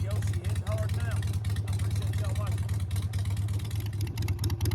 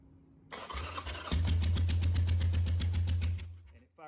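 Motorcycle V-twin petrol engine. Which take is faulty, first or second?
second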